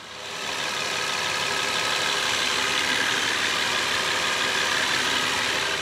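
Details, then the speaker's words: BMW 760Li V12 after new spark plugs, ignition coils, crankcase breathers and hoses; original BMW crankcase breather valves refitted, engine restarted. Steady even idle with smooth airy hiss, the earlier high-pitched squeal now gone: normal idle. "we don't have that high pitching squeal now"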